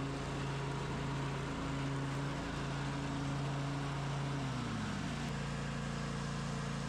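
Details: Craftsman DLT 2000 riding mower with blown Kohler Pro 20 V-twin replaced by Harbor Freight Predator 708cc engine, after rewiring: runs on the switch with a steady, constant low hum that drops slightly near the end as revs ease; healthy running.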